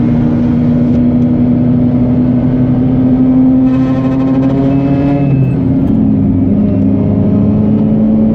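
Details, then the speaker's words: Mazda RX-8 under heavy throttle from about 7,000 rpm: engine screaming with a buzzy metal-on-metal rattle, absent with light throttle, no performance change; the cause was a loose heat shield. "Alright, feels like something is hitting against something else. I hope that's all it is. I'm experiencing no performance changes."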